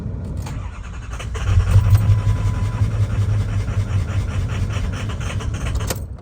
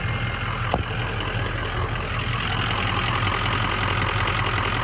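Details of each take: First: 6.0 Powerstroke diesel after fuel filter and pump housing water separator upgrade: starter cranks in a steady low churning rhythm for several seconds but never fires; owner suspects air still in the fuel system after cycling key to bleed it; crank, no start. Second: 2003 Ford Excursion 6.0 Powerstroke diesel after fuel filter/water separator housing repaired and sealed, no leaks: steady diesel idle with even regular clatter, no misses or odd knocks; normal healthy idle.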